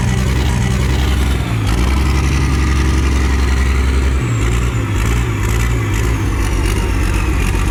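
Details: Worn Perkins 6354 turbo diesel, oil leaks worked on and cooling system bypassed, is throttled up through neutral, forward and reverse; a deep, strong note dips and picks up with load changes while the turbo whistles as it spools; it sounds healthy.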